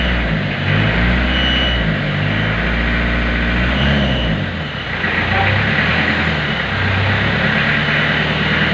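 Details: 1991 Isuzu Panther diesel during warm-up, engine said by mechanics to be still good, black smoke: clatter rises and falls cleanly through a few revs with no knocks or misses; normal diesel revving.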